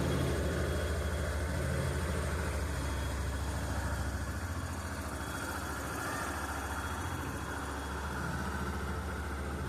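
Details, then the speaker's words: 2015 Yamaha Fazer 250 Blueflex: a thin, steady high whistle over an otherwise even single-cylinder idle; source unknown despite long searching; whistling noise at idle. "Fica um barulhinho apitando."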